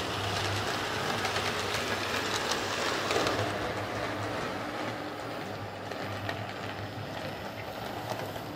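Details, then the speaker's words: Hornby R150 Class B12 model locomotive, bought as a noisy non-runner, now refitted with a Type 7 motor: soft, steady motor hum with light rail clicking, no grinding or buzz; runs quietly and smoothly after the fix. "so there's mold hornby r150 running quite nicely now with with a type 7 motor"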